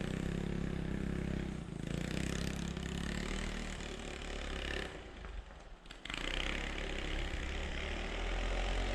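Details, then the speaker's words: 1986 Yamaha Moto4 YFM200DX ATV on a test ride after a fuel swap and mixture adjustment: still burping and sputtering unevenly under throttle, beat stumbling and dropping out. "it's still burping pretty good it sounds like"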